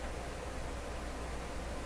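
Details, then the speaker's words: Nordmende 3004C radio on shortwave near 15 with a short wire antenna. Even at full volume there is only a faint hiss over a low hum, so gain is still low somewhere. The owner says the poor antenna could play a part; the cause is unconfirmed. "You shouldn't have to turn it up all the way for a weak hiss. So something's still up."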